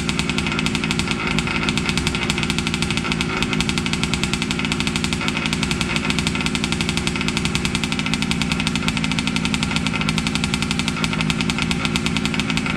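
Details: Losi 5T 2.0 gas two-stroke RC truck on VP fuel after about four to six months stored, choked, started on the workbench up on tires: a buzzy steady fast idle with a crisp even crackle, no misfires or sputter; normal running.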